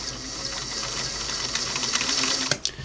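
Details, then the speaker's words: Singer Model 347 sewing machine after repositioning the needle to hook point, stitching through paper: fast even clatter with a thin metallic zing each stroke; the needle is still scraping the rotary hook point. "I'm getting the paper through there, but darned if I don't hear that zing right as it goes by that hook."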